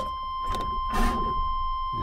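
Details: 1997/98 Chevy Silverado Vortec 5.7 towed in cranking with no start, no codes, good fuel pressure: starter cranks with a steady chime, catches for a split second, then dies back to cranking; failed ignition coil leaking to ground under load.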